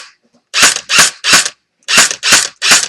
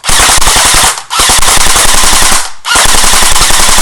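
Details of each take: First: Echo1 airsoft electric gun gearbox with barrel/hop-up unit removed: six crisp, even clacks about two a second as the air nozzle moves back and forth loading BBs from the magazine into the hop-up; no grinding, normal cycling. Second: Echo1 airsoft electric gun on full auto, high-cap magazine not wound so no BBs feed: three sharp one-second bursts with a louder, hollow crack; dry firing, could be solved by winding the magazine.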